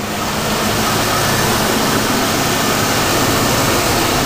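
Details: GTO wagon with 305 engine idling after RTV sealant fixed an exhaust leak: steady, even idle with a constant low hum and no puffing or ticking from the exhaust; finger test finds no leak, sounds sealed and healthy.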